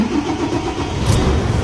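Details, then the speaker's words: Volvo FH12/FH13 truck diesel, starting again after the removed number-3 relay that caused the no-crank was refitted: cranks, catches and settles into a steady low rumble with no hesitation or clatter; normal engine start. "Είναι ο ρελέ του 3, αυτός εδώ, που βρίσκεται στη εδώ τη θέση, που πάλι το δοκιμάζουμε τον έναν πάντα. Και θα πάρει κανονικά μπροστά."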